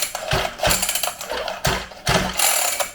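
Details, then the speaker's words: Syx Moto 50cc two-stroke dirtbike, bought new about two months earlier, with a newly fitted metal pull starter. Repeated quick pulls each give a sharp ratcheting whir spinning the engine, then a smooth rewind. The recoil starter works normally. "seems to be working before i try to start this thing"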